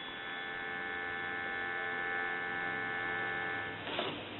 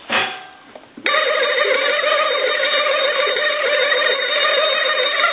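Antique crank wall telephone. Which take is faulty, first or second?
second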